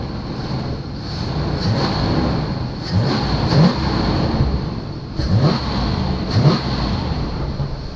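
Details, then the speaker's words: 1991 Chevy Caprice, 5.7 throttle-body V8, auction car just restarted after running out of gas; deep rumble swells smoothly through throttle blips and settles cleanly, running on all eight, smokes a little; normal V8 revving. "this thing sounds awesome oh it smokes a little bit"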